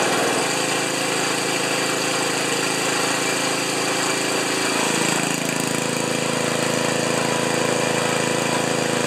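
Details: Ariens 2+2 snowblower small engine, after ignition coil replaced with gap set because owner reported stalling after running a while: fires up, runs evenly, drops to slightly lower steady speed, no knocks or misses; normal running.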